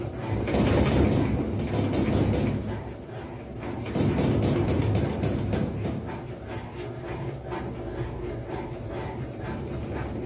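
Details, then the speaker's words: Consul 11 kg washing machine during spin: heavy bursts of banging and thumping as the tub knocks against the cabinet; likely caused by worn suspension rods, fixed by replacing the suspension set. "máquina se batendo na centrifugação então Gente esse essa bateção esse barulho aí que vocês acabaram de ver é um dos problemas né causados que causa isso aí"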